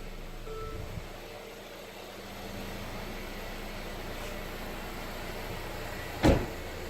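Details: Mercedes CLA started after a DIY oil and filter change: quiet, even idle with a steady low hum and no ticks or knocks, running smoothly.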